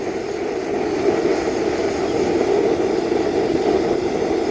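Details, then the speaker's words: Homemade Kwiky waste-oil burner running on used motor oil mixed with gasoline; a steady, loud roar with a breathy hiss and no pulsing or sputtering; owner suspects too much air, tank about 130 PSI, pumping about 120 PSI; burner roar. "Tell me that's not hot enough. If it wasn't for those coals, you wouldn't be hearing the jet noise."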